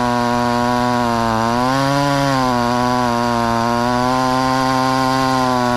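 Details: Ported 2375 chainsaw on methanol after carb mods and ignition timing changes, cutting dense wood: howls high under load, bogs slightly as the bar buries, then picks back up. Owner judges it a little lean but not dangerous.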